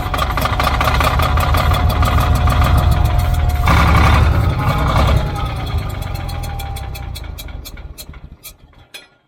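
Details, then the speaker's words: Old Caterpillar D6 dozer diesel cranking rhythmically, about three and a half beats a second, never catching, then slowing and stopping; cranks but no start. Suspected fuel supply problem: fuel leaking at sediment bowl, possibly drawing air; injector lines to be bled. "okay we really poured on that fuel now okay let me break uh some of the inject I'm going to put some fuel in it I'm going to bring a rinch to break the injector lines loose and get there out of it"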